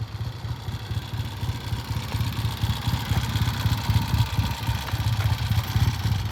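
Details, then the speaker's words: 1970 Triumph motorcycle, freshly assembled, first run on the stand before test ride: steady deep even exhaust beat with no knocks, misses or rattles; a healthy, well-running twin. "well the first roll out of a real pretty green 1970 Triumph that we just put together sounds good on the stand"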